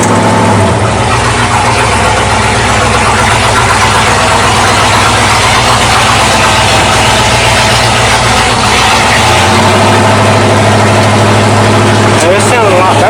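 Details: 1979 Ford dentside truck V8 with a newly installed Holley carburetor, floats adjusted and choke open: loud, steady idle with an even, rhythmic lope and no misses or knocks; sounds a lot better.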